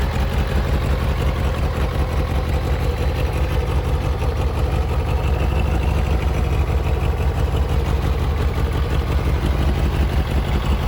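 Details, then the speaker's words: Kawasaki ZZR600 four-cylinder with Micron exhaust fitted, carbs resynchronised, MOT prep done; deep even exhaust burble at steady idle, no misses, knocks or rattles; runs smoothly, normal idle. "As you can see, I've taken it for a ride. It rides lovely. It sounds great."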